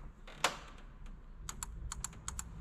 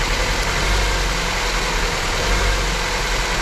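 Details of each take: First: Honda engine misfiring on cylinder 2: crisp paired ticks of a removed fuel injector clicking normally while tested on the pulled fuel rail, before swapping injectors. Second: Honda petrol engine idling unevenly with an irregular thump and stumble: a cylinder 2 misfire that persists after the injectors were swapped and the injector power supply was checked.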